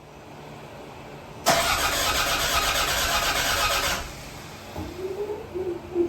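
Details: Toyota Gen5 3S-GTE engine, first start attempt, cranked with the EFI fuse pulled to prime fuel and circulate oil: an even starter churn for about two and a half seconds with no firing; a healthy crank with fuel cut on purpose.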